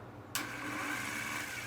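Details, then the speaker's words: Early-1980s Yamaha XS400 cafe racer: starter removed and its loose eyelet connection redone, then refitted; starter whirs freely with a high-pitched spin but does not engage or turn the engine over. "did that it's not engaging why isn't the starter engaging now it's in all the way"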